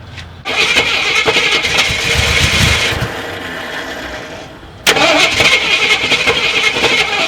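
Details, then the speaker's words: Long-sitting Jeep Cherokee Chief after adding about 5 gallons of fuel, gas leaking; engine catches, runs ragged and fades, then restarts rough; the gunked carburetor is flooding and pouring gas, needing cleaning or replacement. "I don't know. Oh yeah, that carburetor's pouring gas. Well, we know it runs, sort of."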